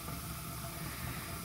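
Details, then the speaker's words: Older gas furnace with spark igniter, pilot hood and flame sensor: igniter clicking, then gas valve click and steady soft hiss of gas over a low hum, no bangs or rumble; lighting normally, just slow. "I don't know if you guys heard the clicking or not by the spark igniter with a little pilot hood and a flame sensor and then just hear that other click that means the gas valve just clicked so now it's pumping gas"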